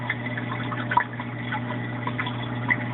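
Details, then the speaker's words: Rio 2100 submersible return pump in an aquarium sump, microphone moved down close: a low, steady, fridge-like buzzing hum with light water trickle; normal pump hum. "it's not terribly annoying because it's kind of like the sound of your refrigerator in the in the background in the house these refrigerators on all the time so it's a comparable to that but I'll be quiet and move the camera down closer to even hear it so that buzzing sound is the pump"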